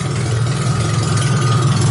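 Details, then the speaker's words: Supercharged 2.5-liter MerCruiser four-cylinder in a Briggs-body T-bucket, in neutral, fires right up without pumping the gas: a smooth, steady idle with the air-ride compressor humming alongside; the engine sounds healthy. "That thing runs awesome. Didn't even pump it, didn't do anything, just fires right up. You can hear the compressor running in the back over here."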